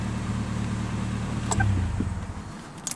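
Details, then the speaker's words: Toyota Corolla running E85 with a four-injector conversion kit; fuel pressure is the same as on 87 octane. No check engine light, emergency brake on, door open. Steady, even low idle hum with no stumbles, then door and handling clicks. Normal idle. "Show you there's no check engine light. Car idles and runs perfectly fine."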